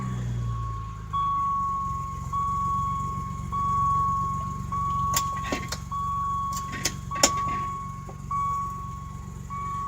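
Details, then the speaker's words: 1988 BMW E28 535is cold start: steady, even low idle with a repeating dash chime on top, smooth and healthy; normal cold idle, and the car runs and drives very well. "the car does run very well and drives very well"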